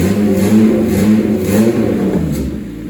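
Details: 1988 Honda CRX, mid-engine swapped with Acura Integra clip and custom turbo kit, first start after build: engine catches and revs up and down smoothly with steady mid-pitched growl, no knocks; normal running.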